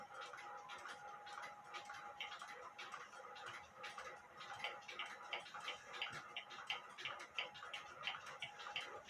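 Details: Granddaughter clock movement ticking via amplified timing pickup after fixing a bent verge and crutch assembly whose foot was up in the air: crisp, even ticks around 87 per minute with light hiss; normal clock tick.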